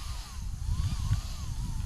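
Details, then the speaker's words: Traxxas Maxx Slash RC truck with Hobbywing Max 6 combo on belted Sledgehammer 2.8 tires: thin fan whine swinging up and down instead of holding steady; cooling fans pulsing, not getting full power. "The fans are spinning still. They're taking it. All right. Yeah, it's interesting. The fans are pulsing."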